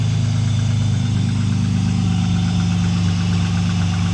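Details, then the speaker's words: Cold start of a Vauxhall automatic, not started in a long time. A deep, even, meaty idle with a steady low rumble, no knocks or misses, and a tiny bit of smoke. Normal cold idle. "That's a cold Straight start. away. Cold start, not been started in quite some time. Sounds meaty."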